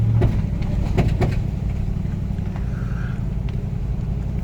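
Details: 2003 Toyota 4Runner Sport V8, full-time 4WD, 350,000 miles: sharp irregular pops from the front driveline (transfer case or front axle suspected) under 10 mph on moderate-to-heavy acceleration, any gear and reverse; stops above 10 mph, no jerking.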